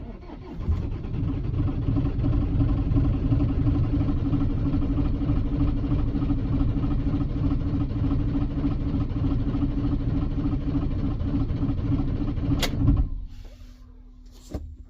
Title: citroen jumper 2008 hard starting when cold